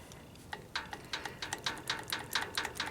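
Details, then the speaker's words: VW 1800 air-cooled engine after changing rocker arm setup (chromoly with Mae West ends), previously quiet with 1.1 rockers: sharp uneven metallic ticking about two per second, clatter like rockers hammering valves. "does sound like a clatter box right now I mean it sounds like it was hammering and it was quiet when I had the one point one ones on it"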